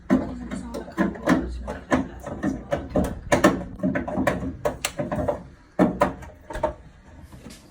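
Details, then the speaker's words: Central heating boiler after radiators removed and system drained: running boiler bangs and clunks irregularly, two or three knocks a second; air in the system, likely in the boiler, causing shutdowns and loud noises. "So that noise there is air in the system. There's air probably in the boiler by the sound of it, but if you get air in the system, the boiler will shut down pretty rapid and can make some loud noises like so."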